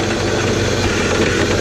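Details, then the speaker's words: 2002 BMW 540i (E39) V8 parts car, owner says it runs like junk, just started: loud heavy idle with uneven lumpy beat; rough idle, cause not found. "Oh, it doesn't sound very good. Well, it turns on."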